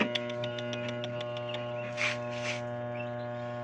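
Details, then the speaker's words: Union Labamatic 8.0 kg single-tub washing machine: low steady electrical hum with no spin; motor powered but not turning. Motor possibly got wet from a gearbox leak; capacitor to be checked. "umugong na lang katropa yun na katropa ayaw wala"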